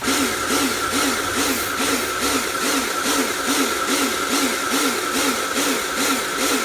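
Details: Repaired Karcher pressure washer (built from B202 and K2 14 units with frost damage and motor failure), spraying: steady motor hum with rhythmic pressure surge about twice a second; cleans fine, pulsing cause unknown.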